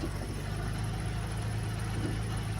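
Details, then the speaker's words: 2006 Infiniti G35 at a tow auction, started with a jump box and moved backward: an even, steady low drone with no knocks, ticks or squeals. Normal running. "see the engine sounds really good on this one"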